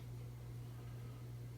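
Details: 52" Emerson Heat Fan ceiling fan (motor dated October 1981) on its original 1982 Emerson solid-state speed control at museum speeds: a steady, low electrical hum under a soft air whoosh. The hum is typical of solid-state controls.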